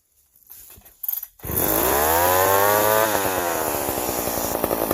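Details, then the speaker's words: Old McCulloch 710 chainsaw with its carburetor deliberately set out of adjustment after being well tuned. It catches, revs up and sags back with a rough, burbling, uneven note: carburetor out of adjustment. "Now it's out of adjustment. So you get your saw out and fire it up, and we'll go from there."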